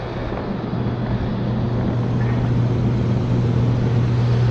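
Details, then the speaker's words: Rooftop HVAC unit with a tripped breaker, dropping blower relay and burnt main disconnect contacts: deep, steady hum around a hundred cycles builds as the compressors start, a loud continuous compressor drone with no clear fault. "all that noise is in compressors"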